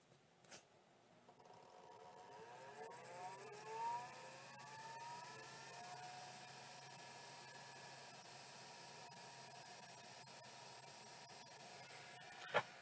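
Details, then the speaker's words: Miniscribe 3212 Plus hard drive with no terminator resistor installed: no spin at all, only faint high squeals sweeping up over a quiet hum; owner suspects the drive is trying to move but the stepper is stuck. "no activity but like the other one I can actually hear squealing which probably indicates that it's trying to move but the stepper is just stuck"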